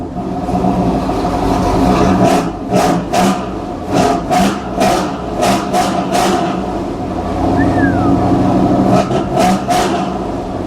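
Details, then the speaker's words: 2016 Toyota Tundra TRD Pro-owner's replacement vehicle, already started and idled up: engine catches and revs smoothly through repeated blips, rising and falling cleanly with no knock or miss; sounds healthy, though owner fears it won't restart once it dies. "Ah, that sounds good."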